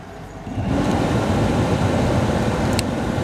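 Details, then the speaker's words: 2015 Lincoln Navigator front blower motor, intermittent failure; with the controller's two wires jumpered (12.21 V at pin), the blower runs at high speed with a steady, even air rush and no grinding, so the fault is the blower control resistor, not the motor as the dealer claimed. "and you could obviously hear the fans working on high speed so the problem is the blower uh control resistor this piece right here it's not the motor at all"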